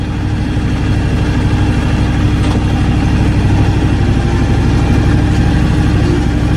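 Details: John Deere X724 tractor with 54" snow blower fitted, idling with the chute valve closed; low, steady idle with an even beat around three per second, no misses or knocks; normal healthy idle under light hydraulic load.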